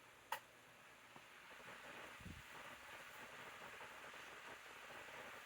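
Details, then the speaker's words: 2019 Lasko model 2018 12-inch table fan on full/high speed; faint, smooth airy hiss with no rattle, ticking or hum; whisper quiet, even operation. "Even on high speed. It's quiet, and it produces a nice, gentle breeze, which I absolutely love."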